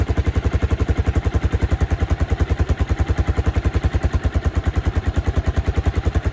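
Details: 1986 Suzuki Savage 650cc single, first start after sitting many years, new coil, fresh gas and oil, aftermarket can on exhaust: big single thumping at steady even low idle, crisp regular pulses, no knocks or misses; runs great.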